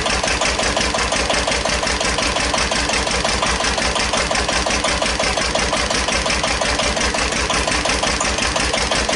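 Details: 1941 Witte CD 12 hp single-cylinder diesel 8000 W generator set, just started after long storage, warming up, no load: slow very even thumping, idling a bit fast; owner suspects fuel pumps sucking air.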